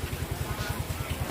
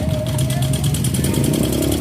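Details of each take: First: Yamaha Mio M3 125 engine after replacing worn parts including valve stem seals: steady even putter about ten pulses a second, no rattle or harshness in the valvetrain; smooth normal idle, harsh noise gone. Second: Yamaha Mio M3 125 kick-started as the electric starter no longer works, hard to start: rough idle with a fast light tick steady with engine speed, not from the CVT; valve train ticking from rocker arms worn by oil starvation.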